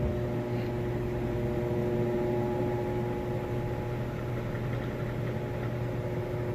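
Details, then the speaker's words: Maytag high-efficiency washer with towels, on the final spin of the cycle, getting up to full spin speed: a steady, even hum with a constant tone and no knocks or thumps. Normal high-speed spin. "Alright, with the final spin on the spin cycle. You see it getting up to speed there. One thing that's really nice about these HE machines, they spin so fast and extract so much water, it cuts your drying time in half, which is part of the HE designation."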